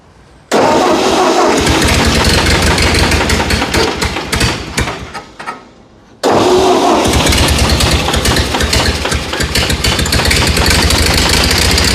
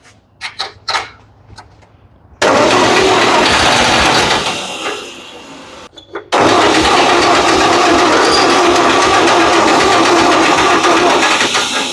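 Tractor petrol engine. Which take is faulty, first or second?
second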